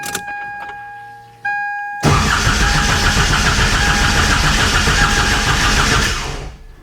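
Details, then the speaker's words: TDI diesel swapped into Toyota Tacoma, cranking to build oil pressure before first start: starter cranks about 220 compressions a minute without firing, then sags and dies; starter pulling excessive current, around 200 amps. "it's already dying that's what i figured it probably happened with pulling so many amps"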